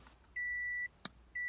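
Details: Car that won't start after headlight bulbs were changed, key on without cranking: clear high half-second beep repeating about once a second with flickering lights; warning chime, owner suspects fried wires.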